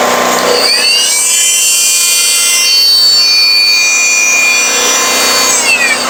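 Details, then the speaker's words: Firman 3650 W yard-sale generator after repair, set to about 61 Hz, running a multi-tool: the tool's high whine over a steady generator drone with no hunting or surging, still about 61 Hz; normal running under light load. "all right it's still running it right on where I had it set about 61 Hertz and you put a heavier load on it it'll probably drop more than that"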